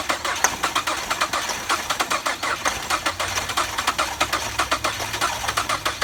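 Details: 2006 Ford Fusion bought at auction without keys, crashed, belt caught up, starter bypassed with a wire at the starter; fast regular starter whirring with steady compression pulses, engine turning freely; normal cranking.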